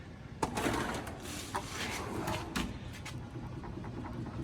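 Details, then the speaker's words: US General 44-inch tool box drawer after rivet and slide modification, shaken and lifted: dull clanks and rattles but no squeak, unlike the loose, squeaky unmodified drawers. "this drawer doesn't matter how much i shake it a little no squeak pick up on it nothing"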